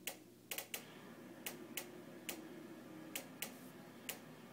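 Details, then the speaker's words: Newly purchased JennAir stove ticking on its own for a minute straight, continuing even when turned off: sharp, bright igniter clicks about twice a second, unevenly spaced; continuous igniter clicking unresolved after three repair visits. "this is the sound of my jenn-air stove newly purchased which randomly makes a ticking noise"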